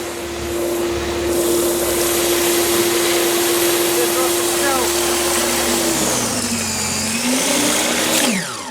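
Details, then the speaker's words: Snow Joe Ultra SJ620 18-inch 13.5 A corded electric snow thrower, started with safety switch and handle: steady, smooth high motor whine that winds down cleanly at shutdown; normal running. "Push down the safety switch right there. Pull that. Starts rotating."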